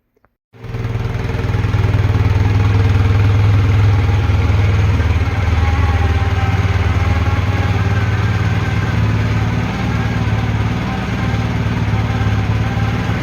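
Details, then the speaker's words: Honda CB400T motorcycle after carburetor work: deep steady exhaust drone holding around 6,000 rpm instead of settling; high idle because choke was left on, later set to about 1200 rpm via choke off and throttle stop screw. "All I really had to do was, for starters, get rid of the choke, because I realized I was running with the choke on."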